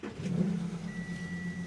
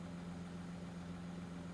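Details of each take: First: 2014 Audi Q7 3.0 L diesel that shakes, goes into limp mode and sets code P0263 with the check engine light on: lumpy, uneven idle just after start-up with a faint chime over it. Rough running; an exhaust leak is also suspected. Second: 2014 Audi Q7 3.0 L diesel with code P0263 cylinder contribution fault, check engine light, shaking and limp mode. It now runs at an even low idle with a steady drone and no misfire stumble. No codes present: normal idle.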